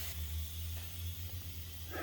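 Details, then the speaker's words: 2001 Buick Century, GM 3.1: after a head gasket repair and a new timing cover gasket and water pump, a constant-air pressure tester shows a steady hiss over a low hum. Air escapes from a leak on the far side of the radiator tank because coolant is low. "i don't know if you can hear that leaking leaking on the other side of the tank it never showed me signs of it obviously it's not full enough now so it's just air coming out"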